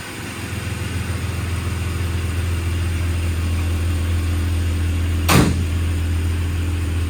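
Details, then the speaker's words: 2000 Jeep Cherokee XJ Classic, 4x4, brand-new inline-six engine, cold start: starts right up into a smooth, even idle with a steady low hum, no smoke, oil burning, knocks or ticks; normal idle. "Starts right up. This is a cold start, by the way. No smoke, doesn't burn oil, anything like that."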